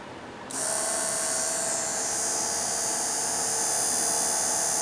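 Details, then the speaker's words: Dio dual electric radiator water pump, jury-rigged to a good 450 battery: click, then steady high-pitched electric whine holding an even pitch; coolant pump running normally. "And they make a neat little noise. It's nice when you go to start your bike and you turn the key on and the pumps go on."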